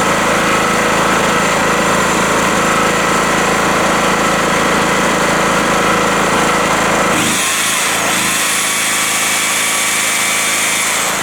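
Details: Rotakt generator warming up with no load after its first start, choke at run, 232 V output: loud, steady, even running at constant speed with no misses or surging, a healthy normal idle.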